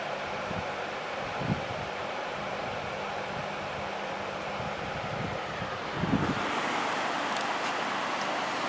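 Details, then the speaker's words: 1994 Lakewood HV18 fan, started on quiet low then stepped up to high: soft steady rush of air growing louder with the speed change; smooth, quiet and healthy. "this one has a nice quiet low speed to it which I like all right let's go up the high with the 90s version"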